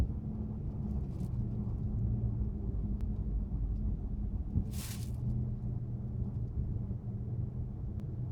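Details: Chrysler 300 SRT Core circling tightly in a car park at about 15 km/h, phone recording: steady low rotating howl over road rumble; owner unsure if rear diff or something else, rear end howl when turning.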